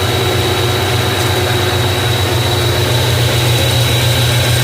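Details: Nissan Kicks alternator running on a test with the voltage rising and charging confirmed; a smooth, even, low hum with no knocks, rattles or bearing whine, normal operation.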